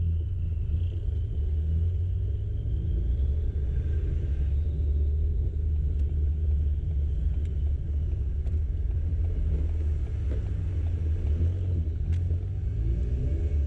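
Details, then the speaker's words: Ford Fiesta ST on methanol, pulling under load past 4000 rpm: heavy engine drone with sharp cracks every second or two, engine stumbling; misfire stops it revving higher, cause not confirmed. "Cada vez que el carro va a pasar más allá de las 4000, de una empiezan a hacerse esas explosiones en el motor y no me deja pasar más allá."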